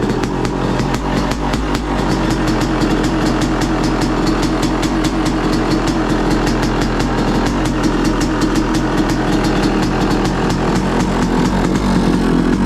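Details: 2023 Yamaha YZ250 two-stroke with new Boyesen Rad Valve, on stand at freezing temperature: first-kick cold start, crisp rapid evenly spaced popping at idle on choke, no surging, not revved; idles cleanly, sounds crisper, jetting untouched.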